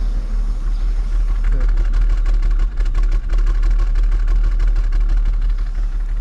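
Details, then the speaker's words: Holden VT Calais with L67 engine, run after sitting 4 years, head gasket stop leak previously added; very low uneven idle stumbling about three times a second, ragged when blipped; running very rough, owner suspects bad head, unconfirmed. "so it's uh running very rough i'll look for that i don't think the head's going to be very good but i'll do some more investigating and see what i find out"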